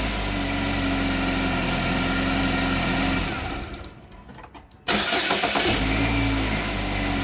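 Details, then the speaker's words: Light irregular metallic rattle over uneven idle just after start-up; variable cam actual angle stuck at zero degrees despite commands. Owner thinks it sounds like catalytic converter rattle though a new converter was fitted; origin unconfirmed. "and in all honesty it sounds like a catalytic converter rattle I put a new catalytic converter here also"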